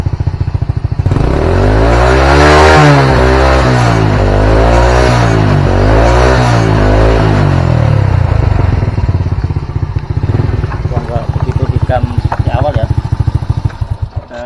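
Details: Old Honda Supra single-cylinder motorcycle after carburetor rebuild (new pilot jet, needle and main jet seat; old main jet reused), idle set around 1300 rpm: blips twice, settles to steady even idle. Previously hard cold starts, black plugs, rich black smoke.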